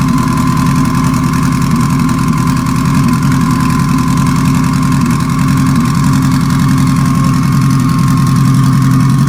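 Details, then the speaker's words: Petrol four-cylinder at idle with cylinder four dead: unplugging injector four makes no change. It runs on three cylinders with a rough, choppy lope. Owner suspects a stuck injector and plans to bench-tap it. "well number four not firing at all i unplugged number four there was no change you can hear how rough it's choppy it's not smooth so it's only running on three cylinders right now which really sucks"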